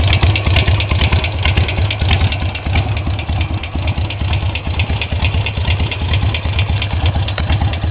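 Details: Harley Sportster 883 XL Low at idle: loud, lumpy V-twin idle with a light, regular ticking on each firing pulse; tick source unidentified.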